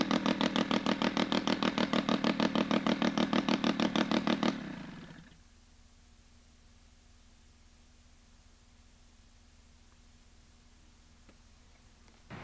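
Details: Sachs Wankel 303 rotary with a 1000cc Mikuni carb, points ignition, and no muffler. Loud, rapid, even popping at about three beats a second stays steady until shutoff; a healthy idle.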